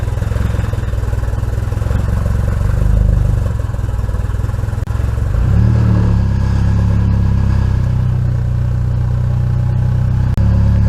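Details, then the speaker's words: Nissan KA24DE turbo on first start after sitting since November, jump-started, Walbro pump primed: uneven, lumpy running with wandering beat and a rev blip; owner suspects distributor base timing is off; rough running. "Prime we're going to fire it up let's go pretty sure my dizzy timings off"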